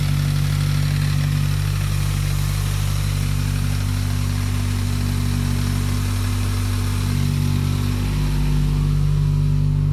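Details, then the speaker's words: Car after misfire diagnosis: Perrin sump restrictor refitted to turbo hose, PCV and coolant hoses fixed, MAF cleaned; engine cranked up and idling steady and even, no stumble, knock or hunting. Owner doubts misfire is solved; normal idle. "so everything should be good so we're just gonna crank it up and see how everything runs for a few minutes"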